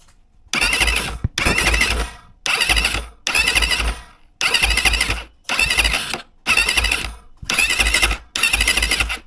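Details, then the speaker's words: Geon enduro with 177FMM engine and PWK 34 carburetor: airy wheezing hiss in bursts about once a second from the crankcase breather, not the intake; new and cause unknown, owner plans to check valves. "Слухайте ну думаю чутно наскільки звідціля іде якийсь розряджений воздух Я не можу зрозуміти раніше такого не було"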